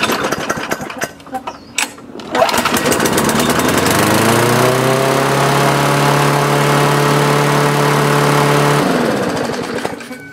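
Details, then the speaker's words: Briggs & Stratton lawn mower engine after fuel-tank carburetor diaphragm replacement, primed and started: catches after a couple of pulls, steady even high-speed run for about five seconds, winds down smoothly. Sounds perfect. "sounds perfect"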